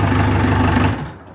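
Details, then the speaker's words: Likely 2003–2004 heavy-duty forklift with 10,000 lb capacity and 4,200 hours, starting right up: a short burst of steady, even low idle that cuts off abruptly. The engine sounds healthy at a normal idle. "it sounds really good it's it only has 4200 hours"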